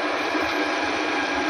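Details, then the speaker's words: Car AC compressor spun on the bench with a drill after replacing the worn internal ball (gundu): steady, even, smooth whirring. The old part made a loud knocking noise. "Nah setelah diganti begini jadi halus nih."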